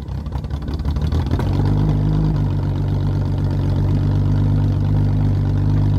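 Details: Triumph TR6, first start after a winter refit: engine catches after a brief crank and settles into a steady, even low idle with no knocks or misses; normal start and idle.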